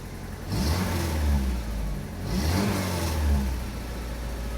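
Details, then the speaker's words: Saab 900 8-valve with Bosch K-Jetronic, after fitting replacement injectors: two clean throttle blips rise and fall smoothly back to steady idle with no stumble; a plugged injector that wasn't opening until high pressure had caused the earlier tip-in stutter. "Completely different. Oh my god. Completely different. One of these injectors must have been plugged. Oh my god. It's running so smoothly."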